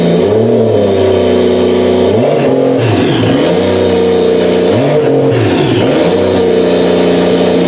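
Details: Toyota 1JZ engine for a 350z swap, running on a tire in a cherry picker after first start on a new ECU; crisp repeated throttle blips, revs falling smoothly back to steady idle, no knocks; normal running engine.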